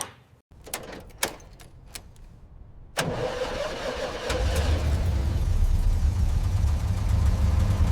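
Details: Abandoned 1950s truck after restoration work: a few clicks, then the engine cranks, catches and settles into steady, even low idle with no knocking.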